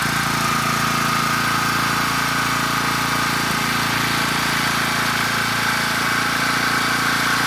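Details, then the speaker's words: Rebuilt Champion 458cc single-cylinder dual-fuel generator engine (original dropped a valve at about a year old), first run after electric start with choke on: steady even speed with constant whine on top; runs cleanly and healthy. "so let me get you set up a little bit better we'll hit the electric start and hopefully we hear a good running engine all right choke is on here goes nothing contact"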